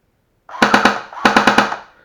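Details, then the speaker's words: JG T3 MC51 (G3 shorty) airsoft gun with the stock JG motor, firing full auto before a swap to a Tokyo Marui EG1000 motor. Two short bursts of about eight shots a second, each starting late and sluggish, rate sometimes dropping off: low rate of fire, suspected to be the motor. "it's not too bad, but it's not amazing, and it can often drop off at times and then pick back up again."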